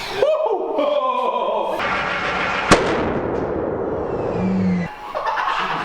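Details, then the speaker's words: Twin-turbo 427 LS-swapped Camaro on first startup, on gasoline with a generic base tune: rough cranking, then one sharp loud backfire. The crew judge ignition timing about 180° out and suspect the reluctor wheel, since the coils and injectors are placed correctly. "when you crank this thing over, the fireballs are because we're way off time. Like feels like 180 out."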